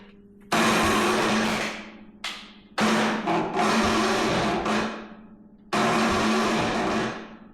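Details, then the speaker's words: MTD Yard Machines riding mower, 13.5 hp Tecumseh, after fitting new E3.18 plug (replaces Champion RN4C), plug wet with fuel: several labored one-to-two-second cranking bursts, no firing; slow cranking, no start, owner suspects starter, will check valves. "I'm beginning to believe that that starter may be the culprit. However, I want to check the valves first."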